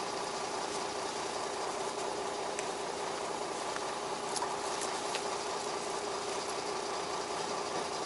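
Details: Beaver motorhome started in freezing temperatures after its dead starting battery (low on water) was dealt with, now reading 13.7 volts: an even, steady idle with a light regular clatter of about two beats per second and no stumbling. Running much better, normal idle.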